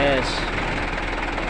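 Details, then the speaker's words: Mitsubishi Canter truck with a manual transmission complaint, checked while lifted before teardown: a coarse, steady rumbling growl comes from the gearbox, pointing to a fault. "Oke Guys Sekarang kita lagi ada undangan perbaikan guys perbaikan mobil truk Canter keluhannya itu [Musik] bunyi grok guys bunyi kasar"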